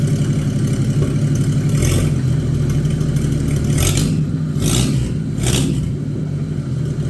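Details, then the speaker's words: Abandoned, mouse-damaged Chevy 216 inline-six from a 1950 Chevy 1-ton truck restoration, revved up and down: uneven, lumpy running with some clatter, as if down on one cylinder. It is still using oil, smoking and running poorly; rough running, cause suspected. "this engine here is actually better than I thought it was going to be but uh it's still not good still using oil it's smoking and it's not running the greatest"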